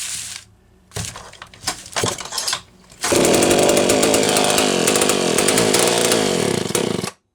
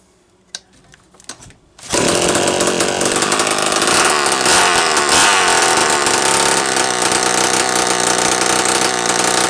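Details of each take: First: Homelite Super 1130G chainsaw after replacing out-of-range condenser and spark plug: scattered sputters and gaps, then rough uneven buzz under throttle that keeps stumbling, losing spark; intermittent misfire, cause unconfirmed. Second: Homelite Super 1130G chainsaw, after replacing only the out-of-range, swollen condenser on a no-fire ignition, muffler off: a couple of quiet pulls, then it catches and holds a loud raspy high-rev run, now firing properly.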